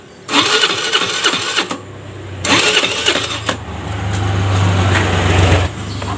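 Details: Piaggio Liberty scooter that won't start on electric or kick start, spark confirmed at plug: two bursts of starter whirring, then one brief catch with low rumble that dies; cranks but won't run, cause still being traced.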